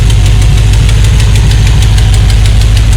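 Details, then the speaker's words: 1978 Chevrolet Malibu running low on gas with the electric fuel pump not hooked up: deep uneven idle that lopes and stumbles about twice a second, close to dying; fuel starvation. "it's running out of gas right now that's why i was backfiring and everything but eventually it didn't die out i don't have the electric pump hooked up but yeah that's how it sounds"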